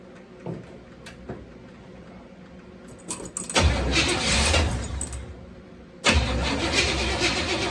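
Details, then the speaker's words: 1974 Chevrolet C10 bought as a non-runner: starter cranks in steady bursts with short pauses but never catches; no start because the fuel pump was not hooked up, so no fuel supply. "Did the same thing a while ago. Forgot to hook my fuel pump up. It always helps to have fuel."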